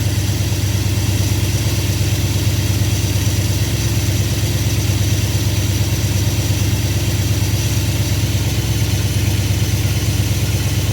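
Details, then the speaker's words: V8 with freshly rebuilt Thermoquad carburetor at baseline mixture settings, cold: even, steady fast idle near 1,000 rpm (lower than wanted), no misses or knocks, started easily; vacuum steady 15–20; running smoothly. "That started super easy, actually. My fast idle isn't quite as fast as I'd want it. It's only about 1,000, but it starts good, so I'm gonna leave it alone for now."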